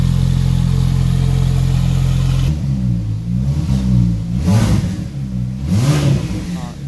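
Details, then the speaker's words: Porsche 911 Turbo on a COBB Accessport stage 3 tune for 1,300 cc injectors and 93 octane, coolant fittings replaced. Steady idle, then quick clean revs rising and falling smoothly without popping; previously ran terribly with blue smoke. Normal revving, fine tuning pending. "that is folks how you supposed to have it sound it's still gonna need to have some fine tuning done this is how it supposed to sound no more smoke sounds clean"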